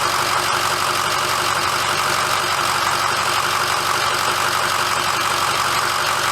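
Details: 2006 Ford F350 diesel idling after oil and fuel filter change and air bleeding: constant even clatter, no hunting or missing beats; healthy normal idle.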